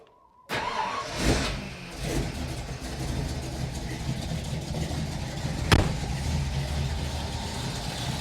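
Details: 1955 Ford Fairlane with freshly rebuilt Holley 4000 four-barrel on freshly installed intake, fuel bowl primed, first start; brief crank, fires almost instantly, settles into steady low rumble without stumbling; choke pull-off needs adjusting; quick start and steady run.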